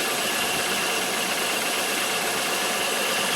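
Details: 2000 Chevy Malibu after serpentine belt and pulley install, engine cranked back up; steady even idle hum with no chirp, squeal or knock, water pump turning, belt and pump running normally.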